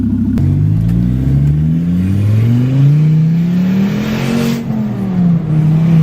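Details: Volvo S40 T5, 2.5 L inline-five turbo, cold start after sitting a month then revving: very loud raw roar from a huge exhaust leak where the flex pipe bolted to the turbo has split, sounding like catless exhaust out the hood.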